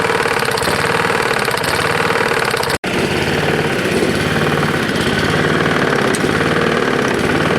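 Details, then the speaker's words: Roadside-found Lawn-Boy mower, 149 cc non-OHV engine, dirty oil, idling rough and loud: uneven knock holding steady; owner can't tell if it's rod knock or something else. "yeah i can't tell that's a rod knock or if something else is screwing up on it"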